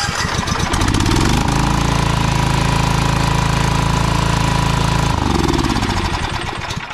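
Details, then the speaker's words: Toro TimeCutter zero-turn mower (model 75740, Loncin engine), cranks but won't start: with starting fluid in the intake it cranks briefly, catches and holds a steady, even single-cylinder idle; choke linkage under investigation; fuel delivery problem suspected. "so it starts right up in this case and it stays running now there's a reason for that"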